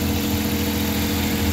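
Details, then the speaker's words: Suzuki DA64/DA63 minivan with K6A engine, first start after engine reassembly for heavy vibration: even, steady idle with a constant low hum, no knocks or misses; running okay. "So far okay na yung andar niya"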